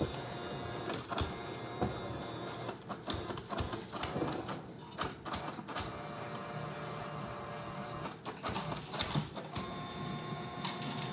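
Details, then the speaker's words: Creality 3D printer CFS filament unit after reboot: irregular bursts of motor whir and clicks, repeatedly rotating backward and stopping instead of loading filament, lights flashing between two colors; cause unknown. "But when it go to that one, nothing happened. It go rotate backward. And stop the process."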